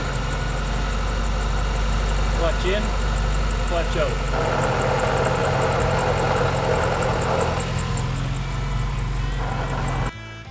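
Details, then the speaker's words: Suzuki Samurai with a 16B engine, gearbox never rebuilt: a dry, rough rolling growl with a faint whine at idle appears when the clutch is let out and is nearly gone with the clutch in; it is getting worse, and the worn transmission bearings are due for a rebuild. "so the sound is pretty much not there when the clutch is in but when you let the clutch out you'll really hear these bearings roll in a real kind of a dry bearing sound I don't know how to explain it but you'll hear it"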